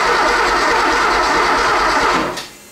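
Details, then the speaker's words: 3.2L Porsche 911 Cabriolet after head stud replacement and injector clean: starter spins engine evenly ~2 s with no firing, cranks but won't start, suspected no spark; later found distributor cap not seated and no alarm-module signal. "so I suspect I'm not getting any spark so I'm going to run the starter hopefully this thing doesn't freaking fall off"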